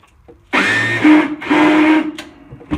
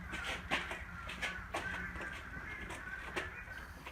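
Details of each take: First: Short bursts of high whirring as the starter spins freely without engaging the flywheel on a Husqvarna Rider 970 mower with a Briggs & Stratton 15.5 HP engine; engine never turns over: stripped starter drive gear, flywheel ring gear suspected too. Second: Husqvarna Rider 970 mower with a Briggs & Stratton 15.5 HP engine, after replacing the stripped starter gear and the 22-year-old flywheel ring gear: short clean crank straight into a steady run, no grinding or clashing from the starter gear. Starts and runs normally.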